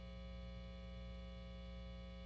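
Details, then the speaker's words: Foals FJM7 Jazzmaster copy with upgrades, switched to bridge pickup only: a steady low 60-cycle mains hum with a buzzy edge from the lone single-coil pickup. The middle position is supposed to be hum-canceling. "Now, when we switch over. To our bridge only position. You can hear the 60 cycle hum for"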